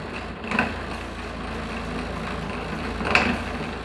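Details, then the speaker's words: Bread maker on the normal loaf setting, second kneading stage, after a new belt was fitted and the broken sprocket was reinforced with a ring and spring wire. Steady churning with soft thumps as the dough rolls, no slipping. Normal kneading. "Well, we're on the second kneading stage. It sounds pretty good. It's rolling around in there like crazy."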